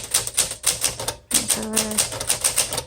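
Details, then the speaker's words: 1963 Smith Corona Sterling 5AX typewriter: crisp, even keystrikes with a steady rhythm and clean carriage bell, no drag or grind, though some grinding was noted earlier. Normal typing action. "So it types extremely well. So if you are new, this is going to be a really good typewriter for you because it's really pretty, it's elegant, it types easily, it types well,"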